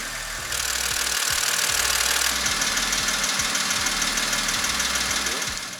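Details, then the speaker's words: BMW X5 E70 3.0-litre N52 engine, warm idle, oil pressure normal: sharp regular ticking knock about three times a second, absent when cold; failed hydraulic lifters suspected, lifter replacement planned. "давайте запустим двигатель послушаем как звучат гидрокомпенсаторы которые вышли из строя"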